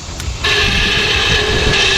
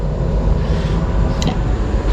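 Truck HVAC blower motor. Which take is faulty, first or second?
first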